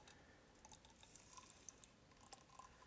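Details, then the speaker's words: KYB SSS fork (Yamaha 2006-22) during rebuild, rod stroked slowly half-travel after oil fill: quiet irregular gurgles and bubble pops as trapped air is evacuated from the damper chamber through the piston valving. "you can hear that bubbling. We're just evacuating all the air out of that chamber."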